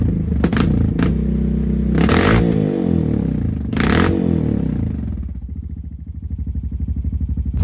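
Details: 2022 Honda Rubicon with full HMF performance exhaust, first start after about a week in an unheated garage, still cold; deep, throaty beat blips up through a few revs, then drops to a steady, even idle. Normal idle and revving.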